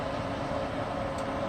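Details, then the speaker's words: Casita travel trailer propane furnace in its cabinet, fan on 12-volt battery power: steady, even rush of air with a faint constant hum, no rattles or surging, not very noisy, warms the trailer well; normal running. "you can tell that it isn't super noisy and it is warm and it warms the casita quite well"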